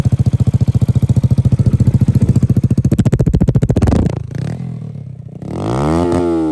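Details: Single-cylinder ZSF motorcycle with Yamaha YBR EFI conversion, after error code 12 (crank sensor) fix, MOT passed: crisp, evenly spaced thumps at idle, then smooth rise in pitch revving cleanly; engine healthy.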